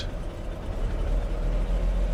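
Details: 1995 Mercedes W124 cabriolet (E320/300 CE) that sat 19 years, after oil change, brake hoses and rat-damaged transmission vacuum line repair: low, uneven idle sagging and wavering near stalling yet keeps running; weak rough idle.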